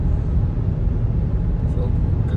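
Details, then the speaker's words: 2008 Hyundai Santa Fe test drive after replacing the grinding front passenger wheel bearing, driveshaft nut torqued to 230 Nm: only steady low tyre and road rumble at speed, no growl or grinding; car now super quiet. "now another test drive after the wheel bearing has been changed car is super quiet no"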